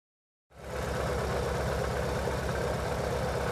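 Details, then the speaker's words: Chevy/Corsa/Tornado engine shaking and losing power, spark seen jumping from plug wires: uneven, lumpy idle of about four pulses a second that keeps stumbling. Misfire from leaking spark plug wires. "este vehículo el problema es de que tiembla mucho el motor en ocasiones se escucha un fallo de un cilindro y haciendo una inspección visual alcanzaste notar Cómo brinca la chispa"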